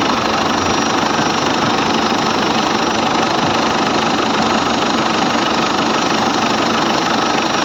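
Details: Ford Everest diesel with morning hard starting, first start after the four injectors were tested (opening pressure 170–180) and refitted: catches and settles into an even, steady idle with no misses or knocks; normal idle.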